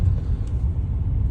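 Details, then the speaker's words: BMW 530d diesel after DIY replacement of a completely perished prop shaft centre bearing that caused transmission tunnel noise: even low road rumble at steady speed, no clunk or knock from the tunnel; driveline smooth. "hey guys managed to fix the problem uh that was only uh the issue with the uh Center bearing"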